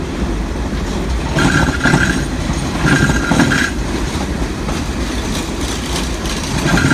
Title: Strange Noise Heard As Train Moved through Station